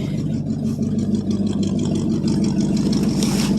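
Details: 1973 International 1210 with a 345 V8, two-barrel carb, first running after almost two years, idling with a loud, raspy, puffing exhaust note at about three pulses a second, typical of a leaking exhaust.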